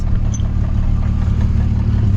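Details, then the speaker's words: Volkswagen Jetta after repair work: an even, steady idle hum now that the lifter ticking has stopped, with no knocking or chain noise; the engine sounds healthy. "the lifter just stopped ticking so the car sounds healthy I don't think so there is no big uh big uh knocking noise anymore"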